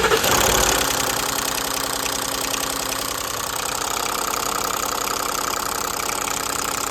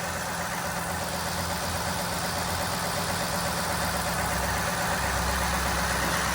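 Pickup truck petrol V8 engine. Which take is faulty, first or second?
first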